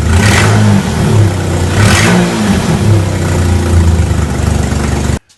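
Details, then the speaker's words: 2004 Mercury Monterey with misfire codes P0300–P0303 and P0316, just after a soldered and heat-shrunk ignition harness repair: engine catches and holds an even, steady low drone with no stumble or skipped beat; misfire gone. "okay no more misfire so harness is complete as good as I can get it"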